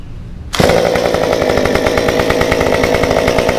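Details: Stihl 193T climbing saw with muffler mod, limiters removed, ~8–9° timing advance, 93 non-E fuel, 16-inch bar; restarted hot after 5 minutes shut down, fires first pull and holds a steady crisp buzz, no stumbling or stalling; runs normally.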